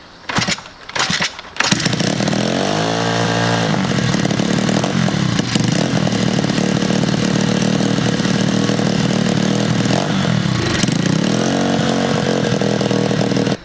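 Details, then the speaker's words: 125cc Chinese pit bike with a freshly cleaned carburetor, choke on and possibly old fuel: single cylinder idling fast and not settling, with a sharp puffing chatter. The exhaust manifold leaks badly and the idle screw is set too high. "the exhaust is leaking really bad, and you can't turn the idle down with the flathead, which I knew, but I was just trying to make it work."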